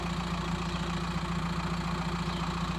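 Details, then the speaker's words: VW T5 Transporter diesel, 287k miles, idling outside with a homemade stainless exhaust; owner may add another box if too loud: even, steady idle, deep smooth exhaust note, no knocks or misses; normal idle. "it's a little bit fruit here outside if it is too loud on the motorway or something I'll put another box in it another 40 quid but uh so far I'm happy with that"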